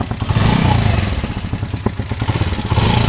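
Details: Zara 110cc motorcycle single-cylinder engine just after a full engine fitting, first start once all engine work is finished: settles into a steady, even low thump with no knocking or rattle, sounding healthy and freshly rebuilt; normal running.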